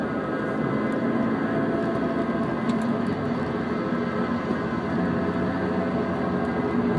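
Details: Pre-2003 Mini Cooper S R53, 115k miles, while driving: steady rough grinding under cabin drone, began after coilover install; bearings, rotors, pads new; clutch slipping, owner guesses clutch, unconfirmed.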